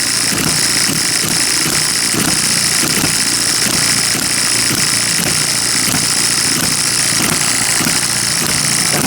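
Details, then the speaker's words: Miniature hit-and-miss engine after dismantling and piston ring rebuild, possibly needing a sleeve; quick steady chuffing over a high whir, running faster than the owner likes, maybe from carb settings (suspected, not confirmed); engine running too fast. "out a bit how fast that's running too right I really don't like how fast it runs but maybe it was just the settings of the curb"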